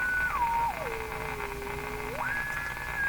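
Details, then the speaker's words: Philco 49-501 Boomerang radio with special tuned capacitor replaced by test capacitor of doubled value: weak, poor station with a thin whistle sliding down and up; oscillation whine from wrong tuning capacitor. "so you can hear a station sounds pretty bad and a wine with"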